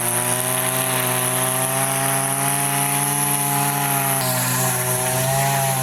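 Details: Line trimmer with Arnetoli F-ONE head, forced line breakage against plastic: loud high two-stroke scream climbing as the line shortens and unloads the head, then shifting when line breaks off; over-revving from shortened line.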